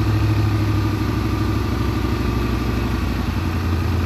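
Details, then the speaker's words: Big-block Monte Carlo street car, just got running and timed after rear end install, distributor still to be tightened: deep, steady rumble with even beat, no misses or knocks; normal running. "But, we got the rear end under it. We got it, running good. I gotta tighten down the distributor."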